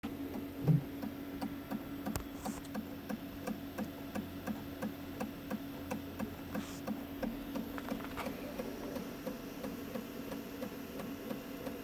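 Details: Prusa Mini 3D printer running with a quiet hum and a light, regular click roughly every half second throughout; source of the clicking unknown.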